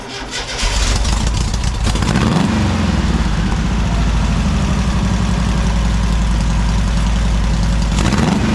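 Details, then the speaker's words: Engine idling a little high after leaning out the accelerator pump to cure an off-idle stumble: fast, lumpy, uneven pulse with a miss on the one-two side; smoke after sustained high rpm; cause unconfirmed. "There is one concerning thing that I noticed is there's a miss on the one two side."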